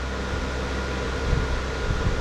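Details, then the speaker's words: Closed-case BTC-S37 mining rig, 6x RTX 3060 Ti, extra rear fan added, around 70 dB: constant airy hum with faint steady tone, no rattle or wobble; fans running smoothly, normal. "sachant qu'il ya deux il ya trois vitesses sur le voilà je pense que même en vente je pense qu'en vitesse 2 ça suffirait aussi et on gagne encore 3 décibels en boîte dans les 73"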